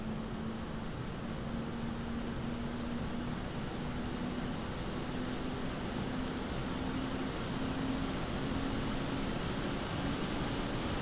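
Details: Montech HyperFlow Digital 360 AIO, microphone about half a foot from pump and 1 foot from radiator fans, PC still at idle before Cinebench load; soft airy whoosh with faint hum rising slightly, no rattle — normal pump and fan noise.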